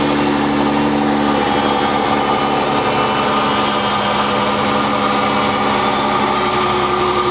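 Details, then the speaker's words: Dodge 3.5L V6 LX engine after rocker arm shaft replacement that cured a loud ticking: smooth even idle with steady hum, no top-end ticking; normal idle after repair. "I had a request to see what the engine noise sounded like now that it's been fixed."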